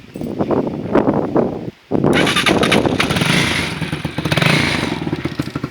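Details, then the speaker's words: Lexmoto Vixen single-cylinder motorcycle with exhaust baffle removed: starts, then blips and revs with a loud, open, crackling bark, popping on downshifts and upshifts. "So yeah, as you can see, it does sound really nice. It does make a little bit of a popping noise when you're downshifting."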